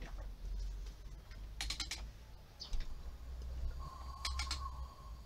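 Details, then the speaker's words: Audi A6 2.5 TDI engine turned by hand at the crankshaft: short airy hiss bursts each turn over a low hum, so compression holds and piston and rings are fine; the camshaft is cracked, with a broken lobe and ring. "hört es zischen, Kompression hat er, Gott sei Dank."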